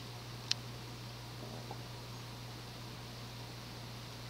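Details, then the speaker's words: Early-1980s CEC-built Progress Lighting Apollo 38" ceiling fan, 52"-spec cast iron motor de-rated by a lower capacitor, solid-state control turned up to about medium: quiet steady low hum under a soft airy hiss, no ticking, rubbing or wobble; normal running. "Put it up another 1/8 or so. That should be more of a medium. Yeah, this is more akin to a medium with a small fan like this."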